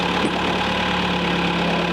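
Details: Military-grade forklift after refit of rebuilt hydraulic tilt cylinders, jump-started before first test drive: steady, even idle with smooth low drone, no knocks or misses; normal idle.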